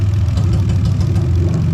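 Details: Lexus IS300 2JZ-GE VVT-i swapped into IS200 with J160 manual gearbox and remapped ECU: deep, lumpy idle with uneven low thump, one cylinder dropping out; dead-cylinder misfire, one pending misfire code found after injector checks.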